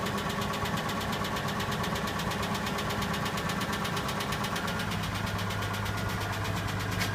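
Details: Nissan Laurel with RB20E engine, idling cold just after a sub-zero start: fast, light ticking over the engine hum that keeps pace with idle speed; noisy hydraulic lifters.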